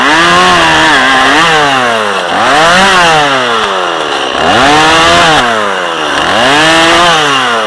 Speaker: This is a perfect little lemon saw. You can just fly through there.